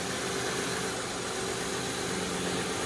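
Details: 2002 Kia Sedona just after replacing the noisy power steering pump, belt and idler pulley, while purging steering air: steady even idle, smooth hum, no knocks or squeals over the belt area; healthy.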